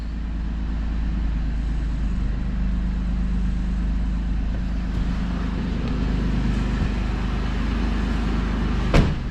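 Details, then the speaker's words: 3rd-gen Toyota 4Runner just re-geared to 4.88, in low-range 4WD with open diff, all four wheels spinning: even low drone with no whine, clunk or grinding; normal drivetrain operation. "So look at that, rear end works great. Sounds good, everything looks nice and straight. Drive line looks good. 4Runner sounds good too."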